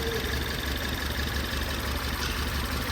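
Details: Ford Taurus 2018 turbo four-cylinder, strong shaking, code P0301: idle with uneven low thump stumbling every few beats, cylinder 1 misfiring, seen on misfire counter and power balance.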